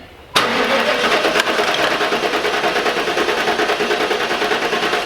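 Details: LT1 Pontiac Trans Am (4th-gen F-body), cylinder one compression test with the coil wire unplugged: steady starter cranking with even pulses, about four per second, no skips. Reads about 160 psi, healthy.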